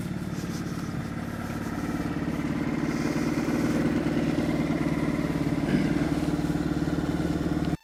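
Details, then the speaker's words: Suzuki 2.5 outboard with a long-standing idle problem, after its carburettor was cleaned in an ultrasonic cleaner, maneuvering at idle between two jetties; small outboard ticking over smoothly with an even, steady beat and no stumbling or surging. Normal idle. "I'm just gonna do a little bit of maneuvering on idle in between these two jetties to show you what I mean"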